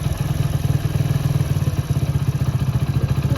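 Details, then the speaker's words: Motorcycle single-cylinder engine idling after repair, with a crisp, even beat and no gearbox clunks; the bent third gear and its mating gear were replaced after three earlier failed engine openings, and the chain no longer jerks. "यह देखिए भाई कितना जबरदस्त sound आ गया मस्त sound आ गया"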